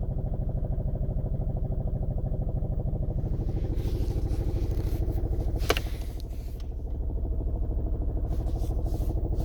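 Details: Seat Toledo idling with buzzy shaking rattle and a few sharp clatters; cause found to be worn engine mount.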